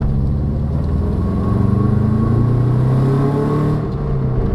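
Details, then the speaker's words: Subaru GC8 coasting in neutral with the engine not revving: deep, steady droning roar from a worn rear wheel bearing. "is that a lion or a wheel bearing that thing is roaring i'm not even revving the car right now i'm in neutral i'm just coasting"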